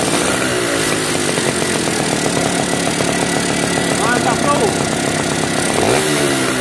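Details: Yamaha V80 two-stroke motorcycle after repairing a compression leak at the cylinder head and replacing a worn part: buzzes at a steady fast idle with a crisp, even exhaust crackle, no misfire or popping; normal running.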